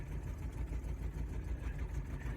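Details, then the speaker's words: 1990 Toyota 4Runner 22RE, about 250K miles, cold, moving up the driveway: lumpy, uneven low thumping with irregular weak pulses, stumbling on two or three cylinders; cause unconfirmed. "oh we're moving man I don't even know if we have three cylinders"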